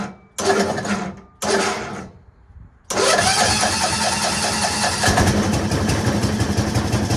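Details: Machine after starter repair, on a temporary fuel tank, battery a little low, which the owner thinks made the starter struggle: two short cranks die off, the third catches into a steady even idle; normal cranking and starting.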